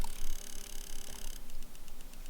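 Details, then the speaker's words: Subaru STI with key off after a Cobb Accessport appeared bricked; fast, light ticking around seven clicks a second that keeps going, and the car only clicks when starting; electrical fault, source unclear. "hear that it's like ticking what's going on cobb"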